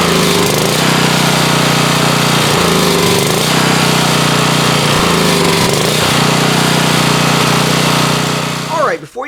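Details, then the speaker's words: Warmed-up Generac 4000XL generator (Briggs & Stratton engine, Nikki carburetor), choke fully open, before cleaning: steady drone dipping and recovering about every 2.5 s as the engine hunts for fuel; cleaning the dirty carburetor fixed it. "what this engine is doing when I open the choke all the way is it's hunting for fuel that surging that we were seeing is the engine basically running out of fuel"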